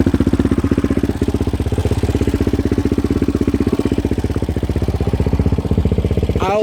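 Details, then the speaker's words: 2016 Yamaha Raptor 700 SE single with 11.1 compression piston and Hot Cam stage 3, idling, phone mic close to the engine: fast, even ticking about four per second over the steady idle; normal valve clatter, checked by the owner and others. "I'll show you well, I'll let you hear the sounds of the valves. I'll get the camera pretty close. It'll probably over dramatize it a little bit because the speaker's right next to it, or the microphone. But it's a normal noise."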